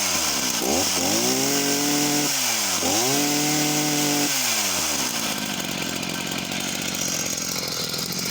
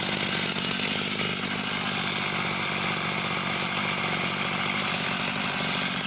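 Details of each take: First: Husqvarna chainsaw of unknown model revved repeatedly at high speed: slightly uneven burbling note, four-stroking a lot at the top end, possibly running slightly lean; chain running bone dry with no oiling, oil pickup suspected. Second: Husqvarna two-stroke chainsaw, unknown model, restarted with cover off: even buzzy idle, steady pitch, no stumbling; ticks over cleanly, but no oil feed to chain.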